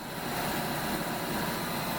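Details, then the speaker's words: Refurbished Hobart 5801 commercial meat and bone band saw on 3-phase via converter, running with the camera up close: smooth steady hiss and hum, no knocks, rubbing or pulsing; very quiet, healthy. "Get the camera a little closer. See the blade turning there. Very quiet."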